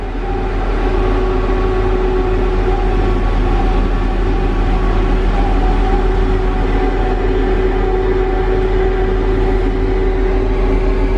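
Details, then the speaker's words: Tigercat LX830D track cutter running normally on rain-wetted ground: an even diesel drone with no track squeak, whereas the tracks squeaked badly in dry conditions. "as soon as we get this rain kind of Westar ground you don't hear the track squeaking anymore"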